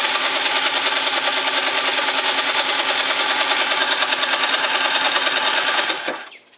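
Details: Gilera DNA 50 scooter that won't start after winter: fast, even buzzing cranking at about three beats a second for six seconds. It never catches, then falls silent; it turns over but won't fire.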